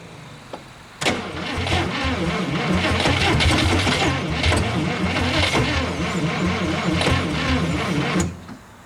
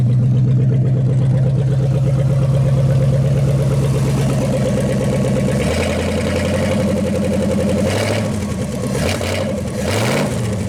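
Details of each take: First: 1956 Studebaker Golden Hawk, first start attempt in 50 years: about seven seconds of steady cranking at roughly three turns a second, never catches; fuel not yet primed, so gas is added bit by bit. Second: 1956 Studebaker Golden Hawk V8 at its first start in 50 years, steady idle that rises cleanly on throttle blips and settles back; carburetor and mechanical fuel pump working well, with only fine tuning left.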